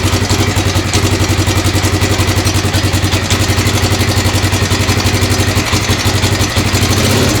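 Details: 1996 XR600R built from parts of seven bikes, first cold start on choke, steady single thump with a light rhythmic clatter on each beat. The owner suspects the valves need adjusting, likely the right front.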